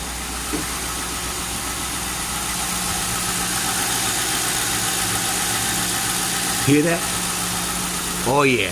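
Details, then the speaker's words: Town car started after nearly a year sitting, with a replacement alternator fitted: steady, even idle with no knocks or misses, just a smooth hum; healthy idle. "sounds real good the other alternator I had I had to change because it finally went so I got this one"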